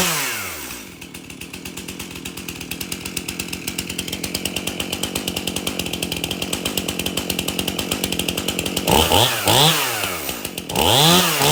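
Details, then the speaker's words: Stihl MS271 chainsaw, brought in hard to start, tested at shop door with bar and chain refitted after service: steady high-pitched buzz holding rpm, dipping and recovering as it bites into wood; starts easy, runs really good. "So the MS271 runs really good, starts easy."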